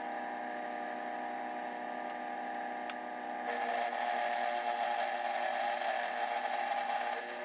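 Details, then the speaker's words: First test cuts on a homemade milling machine: the motor whine turns rough and rattling as the cutter bites in, chattering from too much play in the whole setup. "It surely cuts much better, but there's still too much play in the entire setup. You can hear it chatter a lot, but all the problems can be fixed."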